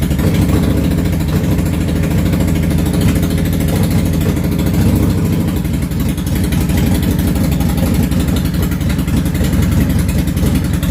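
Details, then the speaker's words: Yamaha V-Star 650 Classic V-twin, cold start without choke after new fuel lines, pump and carb work: lumpy idle, rear cylinder firing steadily, front cylinder firing on and off from poor fuel transfer in the front carb. "it is idling uh on both cylinders one of them is sporadic the rear one seems to be firing constant and the front one seems to be kind of on and off firing"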